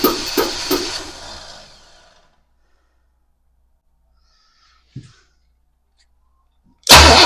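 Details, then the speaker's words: 1966 Pontiac Parisienne after Edelbrock 4-barrel carb and intake install, new starter, battery, module and coil, possibly flooded: a few starter cranks, a click, cranking again without firing; spark now lost, electrical fault; crank no start. "we have spark. We've got no spark. And that's an issue cuz we did have it, but now it's gone."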